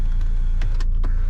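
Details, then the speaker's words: 2011 Saab 9-5 Turbo passenger power seat: up/down, tilt and lumbar all work, with a steady motor whir and soft clicks over the engine hum. "Up and down work. Tilt works fine. And it looks like our lumbar is working fine. I can hear it in there."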